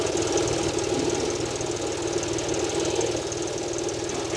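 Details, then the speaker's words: Audi A4 Cabrio 3.0 V6, just started: uneven stumbling idle with irregular knocks; misfire on cylinder 4, with coil, wiring interruption, injector or spark plug suspected. "4'te 4'te veriyor karda biri 4'te veriyor abi 4'te arıza veriyor Bir de kesinti veriyor dedi"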